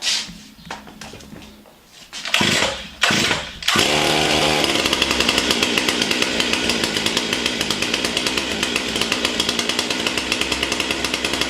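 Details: Stihl MS 661 C chainsaw with a 42-inch bar and M-Tronic carburetor, cold-started on the ground, last run at about sixty degrees: a few hard pulls, then it catches and holds a steady, even high-pitched run without stumbling; normal running.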